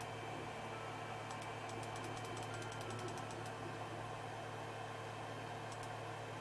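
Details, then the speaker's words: Creality Ender 3 with direct drive, Z lead screw after Super Lube grease applied, gantry raising: smooth steady motor hum with brief light ticking, no squeak or chatter; previous squeaking cured, normal quiet Z travel. "And as you can see, it's super quiet, super silent. There's no squeaking."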